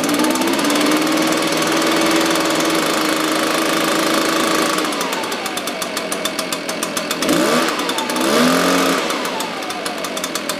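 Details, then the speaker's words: Echo PB-580T two-stroke leaf blower, older, bogs on throttle, suspected vacuum leak or carburetor, cold start: low, slightly uneven idle with a quick throttle blip, needs tuning; low idle, slightly rich mixture. "i definitely think it needs to be tuned up the idle's a little low"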